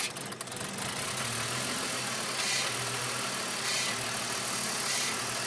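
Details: BMW Z4 with idle problems: uneven, lumpy, wavering idle with hiss over a low engine note; cause unclear, air flow meter recently replaced and not at fault.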